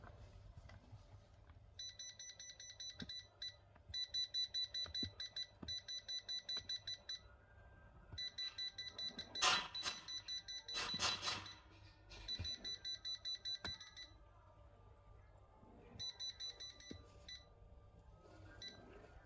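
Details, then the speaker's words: Rapid high beeping in long bursts from a Yamasu laser level that beeps continuously when rotated, suspected to come from moisture at the pendulum sensor, with later models' copper washer prone to faults; cleaning cleared the beeping. "Khách báo tình trạng đấy quay khi mình quay là nó nó báo báo lỗi nhá trước đó nó báo lỗi liên tục"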